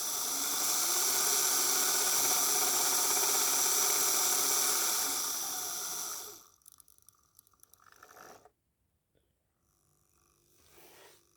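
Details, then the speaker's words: Hornby OO gauge A1 locomotive tender motor run on the bench, with the controller speed turned up: high, steady whirring for about six seconds, then it stops; the motor runs smoothly and works. "But you can hear here the humming of the tender. Um, which clearly indicates it's working, which wrong way on the controller there."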